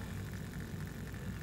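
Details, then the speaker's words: Trix Collett 5600 model locomotive motor driving the idler gear; the idler ran smoothly on each tooth until one jammed, found to hold metal debris. Here a steady, even low whir with no catching or stalling: the drive turns freely. "if I can reproduce it somewhere ahead of there that is if I just do that to each tooth then they run quite smoothly until I get to this one and it jams"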